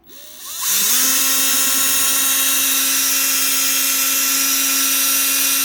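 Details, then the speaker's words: 2024 Bosch GBH 36 VF-Li Plus 36V SDS hammer drill, 4-brush 4-pole DC motor reported not running properly, free-running: a fast spin-up to a high whine with a harsh, fizzy edge and visible brush sparking. Gearbox fine; faulty, burnt DC motor. "Definitely got a little bit of sparking it on anyway."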